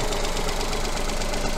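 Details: 2018 Ford Fiesta, 3-cylinder non-turbo petrol engine with coil-on-plug ignition, at idle during an oscilloscope coil check with a coin on the coil. Steady, even idle with a constant low rumble and no stumble or missing beat. Normal idle.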